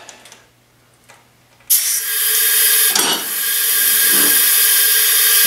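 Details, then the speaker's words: 2009 Ariens riding mower with a 20 hp Briggs & Stratton Intek single-cylinder engine, leak-down test at 100 psi holding only 20 psi (80% leakage): a loud, steady rush of escaping air, a head gasket leak. "sure enough we're at 20 psi so we have a 80% leakage and you can drastically hear the air like they're coming out"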